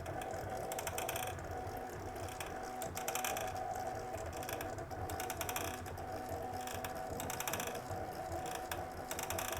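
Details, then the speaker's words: Palstar HF-AUTO antenna tuner roller inductor after cleaning and lithium-graphite greasing: steady whirring gear drive with fine even ratcheting tick as the roller travels the coil, smooth and unstrained; normal mechanical noise. "Seems to be operating fairly smoothly. It is a mechanical device, though, so there there is going to be a certain amount of mechanical noise that you hear with something like this"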